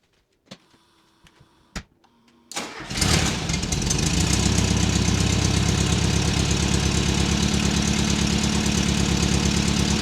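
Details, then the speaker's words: 1979 fuel-injected VW Super Beetle, air-cooled, warmed up: starts and idles with loud raspy chuffing and a couple of revs; exhaust leaks and a rusted original factory muffler, before stainless exhaust upgrade. "This thing has an exhaust leak on it. Uh, couple of exhaust leaks. It's the original factory muffler. It's in bad shape."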